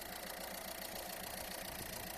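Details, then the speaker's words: 2014 Citroen C4 Grand Picasso 1.6 HDi, engine idling: steady whooshing hiss and pulsing vibration from the accessory belt, tensioner visibly bouncing too much; belt and tensioners need replacing. "słychać szum i drgania które są równo z tym Jakby widać że ten napinacz trochę za bardzo skacze z tej strony i z tej strony"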